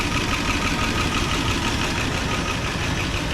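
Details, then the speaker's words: 1988 Dodge Power Ram revived after sitting 23 years, fresh oil change, hoses and thermostat housing; warm idle with light quick tapping from one noisy lifter not yet pumped up, expected to quiet down. "lifter is still a little noisy but I mean it'll probably come back"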